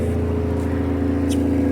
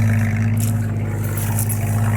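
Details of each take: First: 1982 AMC Concord with newly fitted distributor and poor carburetor: loud, deep, blatty idle with open rasp from under the car; the exhaust is hanging low and leaking near the front, possibly damaged by an impound forklift. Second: 1982 AMC Concord, microphone at the rear bumper by a new welded muffler: a steady, deep, even drone at idle with no ticking or puffing. Loud at the tail but not leaking; normal exhaust note, though a slight leak remains at the front flange.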